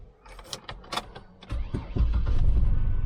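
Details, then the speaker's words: 2004 Chevrolet Trailblazer, 4WD, cold start, with a known right-front noise and low fluid: key and cabin rattles, then the engine fires at once and holds a deep, steady rumble; normal cold start. "starts right up oh she's alive"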